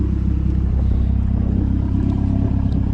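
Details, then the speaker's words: Fully built 2010 Mazdaspeed 3 drag car, first start of the season with new Odyssey battery and fresh oil, warmed to temperature: deep, even idle pulse about 220 beats a minute, no ticks or misses, good oil pressure; normal idle. "sounds good I've got everything in here looking good"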